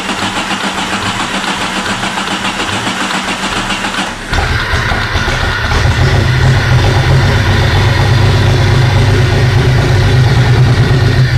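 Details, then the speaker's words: Jeep with a freshly swapped replacement engine that won't run, retried with starting spray: low, uneven churning while cranking, then a rougher, louder rumble with steady pulsing; abnormal cranking noise, cause unknown. "What in the world is that noise? Try it again."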